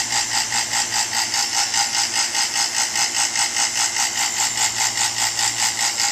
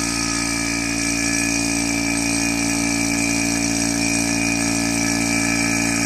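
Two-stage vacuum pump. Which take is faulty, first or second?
first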